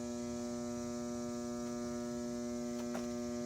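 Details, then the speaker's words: Vintage Fleetwood sewing machine from an estate sale, powered on: steady electrical hum with no stitching rhythm; the motor barely turns because the mechanism is binding, and the owner suspects it needs oiling and cleaning inside. "okay old machine it needs to be oil this does move but i've worked on a lot of machines you have to open this inside and clean it"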